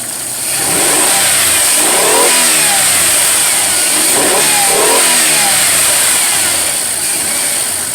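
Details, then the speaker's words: 1995 Ford Explorer 4.0 that idled rough and stalled, after cleaning and resetting the idle adjustment: crisp repeated free revs that settle back cleanly without stumbling or hunting. Plugs and wires still loose. Normal free rev. "it wouldn't do that y'all this sport has some power to it now"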